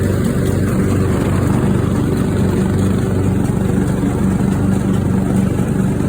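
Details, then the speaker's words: Craftsman riding mower after a new fuel shutoff solenoid, fuel filter and spark plug plus fuel treatment (owner suspected water in the fuel): smooth, steady single-cylinder drone with no stumbling or surging. Runs normally after the repair. "oh listen to that engine per that sounds really nice"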